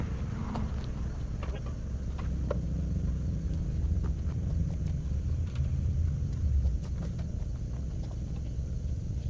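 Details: 2011 Mazda 3: low steady rumble with sharp irregular puffing ticks from a well-hidden, recently started exhaust leak.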